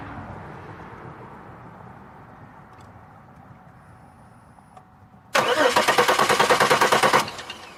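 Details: 2002 Chevy Malibu whose fuel pump runs but injectors aren't opening: quiet, then about two seconds of even cranking at about three pulses a second that never catches. Owner suspects the ECM or cam sensor, unconfirmed. Cranks with no start.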